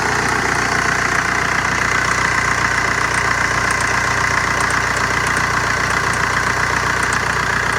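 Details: Steady idle of a 2003 VW Jetta ALH TDI diesel with 5-speed manual: a regular metallic chirp two or three times a second rides over the diesel clatter, source not pinned down. Metallic chirping at idle.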